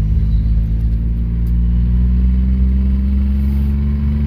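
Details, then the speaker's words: 1994 GMC Jimmy 4x4, 4.3 V6 CPI, 191,000 miles, sat six years, under acceleration: deep, steady drone pulling smoothly with full power, no stumble; intermittently it hesitates and falls on its face, not in this moment. "Like right now, it's got all the power. That's what it should do, but it doesn't do this all the time."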